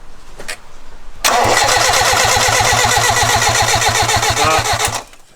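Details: 4G15 Lancer turbo build, freshly filled with oil and cranked on the starter to prime oil before first start: steady even cranking thumps, about four per second for nearly four seconds, turning freely without firing. Oil pressure was then confirmed.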